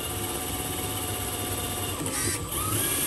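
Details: HB R1001 Ford Bronco RC crawler, after fix: shift servo linkage lengthened two turns so the gear fully engages. Steady high motor whir with a brief tone shift midway as the gear drops in cleanly. Gearbox sounds healthy.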